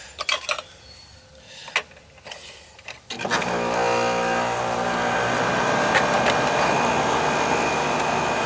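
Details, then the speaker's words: AC condenser fan after replacing a dead capacitor that caused surging and likely stopped it starting: a few clicks, then fan starts and settles into a steady, even hum with no rise and fall; running better. "Alright, definitely running better now."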